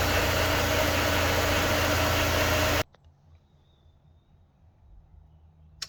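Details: Honda S2000 after replacing faulty MAP sensor (code P0108, engine cutting out), connector clipped and o-ring fitted: even steady idle hum for nearly three seconds, no misses or stumbles before switch-off; fixed, normal idle.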